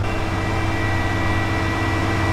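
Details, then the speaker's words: 1991 Ford F-250 5.8L 4x4, first start after sitting about two years: engine holds a steady fast drone stuck near 2000 rpm, never dropping to idle; high idle traced to faulty throttle position sensor. "something wrong she's stuck in 2000 rpm there's nothing wrong with this girl she's stuck at 2 000 rpm she does not want to kick down"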